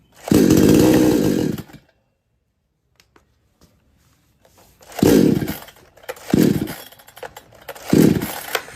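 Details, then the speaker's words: Kisan Kraft / R Yantra 58cc chainsaw that won't take load or pick up: roars briefly then dies, later only short revving bursts before cutting out when throttle is applied; fuel present, cause unknown. "Machine start होकर बंद हो जाता है accelerator लेने पर machine अचानक से बंद हो जाता है"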